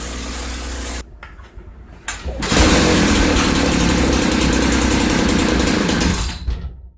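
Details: 1995 Ardisam Earthquake 8900 auger, small two-stroke with rebuilt Tillotson carburetor, being tuned: cuts out, then restarts and runs with a fast even patter around four beats a second; idle speed set too low.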